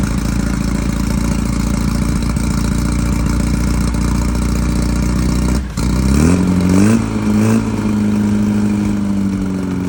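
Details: Early 1968 rally VW Beetle, freshly built 1776cc air-cooled flat-four just installed, first start for break-in, about 95°F ambient. Even steady low idle with a brief throttle blip midway, settling back smoothly: normal idle.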